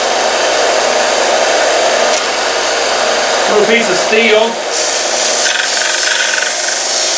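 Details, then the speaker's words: Harbor Freight 1-inch x 30-inch belt sander grinding steel: rough, steady grinding noise with a faint rhythmic knock underneath, which comes from the belt itself. Belt knocking. "That seems to work really well. You can hear it kind of knocking, and that's the belt."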